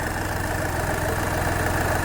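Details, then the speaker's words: Skoda Fabia diesel with VW Polo engine that had died while driving, after repair; steady even diesel clatter at idle with no stray knocks or misses; healthy idle. "Accelerator पे ये हमारे engine का sound."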